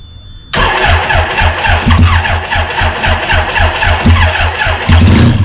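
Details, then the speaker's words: 1975 Suzuki RE5 rotary motorbike revival, refurbished starter motor powered by car battery, 5 L fuel; steady laboring cranking about four beats a second, never catches, nearly started; tired starter suspected; cranking no-start. "That's a refurbished start motor as well. Typical rotaries. They're never hassle-free."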